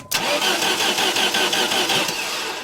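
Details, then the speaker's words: 1989 Dodge Caravan, 2.5 Chrysler engine, after in-frame rebuild (head gasket, rings, bearings): even, steady cranking that never fires; sounds mechanically healthy, but no start; fuel pump running continuously. "You heard the cranking. That sounds healthy, a nice, good, steady gallop, which is exactly what we were looking for. So mechanically, I think we're good."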